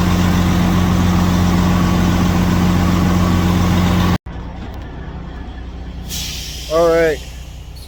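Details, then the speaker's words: Detroit Series 60 14L semi truck on first start after a DIY in-frame rebuild, with white smoke (owner suspects injectors): steady low diesel clatter at constant idle, regular and knock-free, then air-brake hiss; normal idle. "we did finish the rebuild had some Kinks to work out um I'm very happy it's running"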